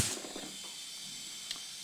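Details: Husqvarna FS450 supermoto that died suddenly on track, leak-down test at 90 psi with valve clearances checked: steady thin air hiss holding level as the cylinder is pressurised, moderate leakage; air escaping past leaking exhaust valves, not rings or intake.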